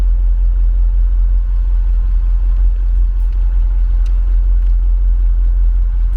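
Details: Jaguar XJR supercharged engine idling, recorded at the rear tailpipe on full stock exhaust, before installing a Mina Gallery cold air intake; steady, even low rumble with no misses, ticks or knocks, healthy normal idle.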